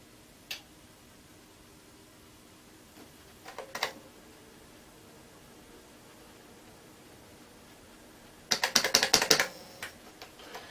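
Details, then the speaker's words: Amstrad PC1512 at first power-up with a sorted-out PSU and Hercules card, a DOS boot disk in the floppy drive: irregular dry clicking and chattering over near silence; the drive seeks but never boots. Whether the drive works is unknown. "i've got a disk is it going to boot i think it's thinking about it"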